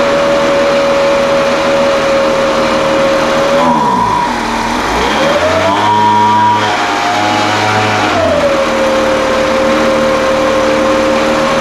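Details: Older Craftsman 200mph blower, sat unknown time, restarted after the high-speed mixture was opened slightly: high whine dips and surges unevenly for a few seconds, then settles to a smooth even pitch. Carburetor acting funny after sitting.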